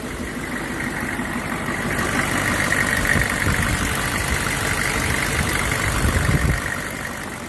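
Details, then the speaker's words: Copart auction truck bought sight unseen, sitting unused, first start: it sounded a little sketchy at first, then settles into a steady, even low-rumble idle with no misses or knocks. Running normally, no leaks, maybe a small fuel leak. "Haha! My $400 car is running."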